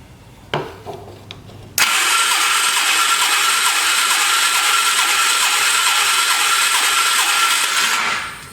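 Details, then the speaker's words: Polaris 325 ATV engine freed up after flood damage, cranking with carburetor removed during compression check; steady hissing crank with soft even pulses about three a second, no firing, compression heard puffing back through the intake; low compression, cause not confirmed. "Hear that sizzling sound? Is that the sound of compression? All right, let's see what we got. We ain't got jack."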